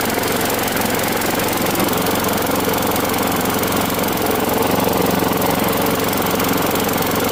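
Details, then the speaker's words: Craftsman Gold mower, Briggs Quantum 6.75 engine, after a new aftermarket spark plug was fitted: fast steady beat at constant speed, no hesitation or hunting; earlier suspected carb issue not the cause; running properly. "Now, with this new plug that's installed, even though it's aftermarket, it runs at a perfect speed now."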